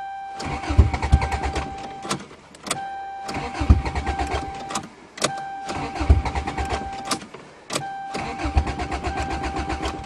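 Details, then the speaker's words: Toyota GTS with no exhaust or back pressure, cold snowy December start: four bursts of steady starter cranking, each a couple of seconds, never catching; crank, no start in the cold. "Cars with no back pressure and no exhaust are always hard to start in the cold."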